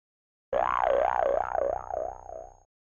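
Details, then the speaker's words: Quarter-inch line refrigeration solenoid valve with coil removed, opened by a magnet coil tester tool: sharp lift then springy ring fading over two seconds as the stem moves freely; valve works, so the failed part was the coil. "I pull off the coil I put the coil tester in and we hear that valve open up the here the spring"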